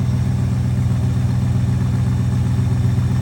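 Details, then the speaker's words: Old Ford truck, owner weighing a restore or cab swap: smooth, even low rumble at steady idle with no misses, ticks or knocks; runs healthy. "That's a tough decision when it runs like that, doesn't it?"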